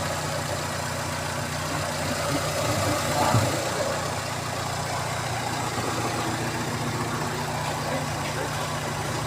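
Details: Fiat Doblò 1.8 16v petrol engine, after repair of a top-end noise and oil light, idles steadily with a smooth, even hum and no ticking from the top end.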